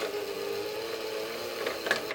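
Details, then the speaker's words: Sony PS3 Slim CECH-2000 series after fixing its noisy disc drive: even mechanical whirr with steady midrange hum and light clicks as the disc loads; much quieter than before, though not perfect. "Yeah, that's much better. Not perfect, but it does sound a hell of a lot better than what it did."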